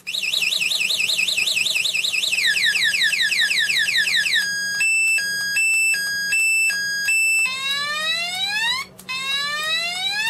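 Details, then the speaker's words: E-bike anti-theft remote alarm with its wiring harness. Relays click on lock, then a loud electronic siren cycles through warbling, stepped two-tone and rising sweep patterns; the alarm works as it should. "you can hear the relays going the box I'm guessing this the lock the wheel and then you get the alarm"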